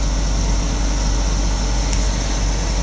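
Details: Vehicle with dual power whose owner is replacing relays, as the dashboard blower is turned down and the blend is adjusted after a puff from the vents: a steady, even rush of air with a low hum, no rattles or surging. The HVAC blower is running normally.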